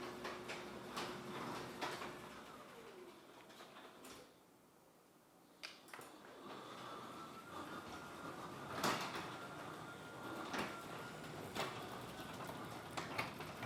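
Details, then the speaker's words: Garage door with opener after fitting Green Hinges: door travels with scattered soft thumps and light opener hum, less rattling than before when it chattered constantly; normal garage door operation. "So honestly, one thing that I noticed right off the bat is I don't hear the rattling as much when the garage door is going up and down."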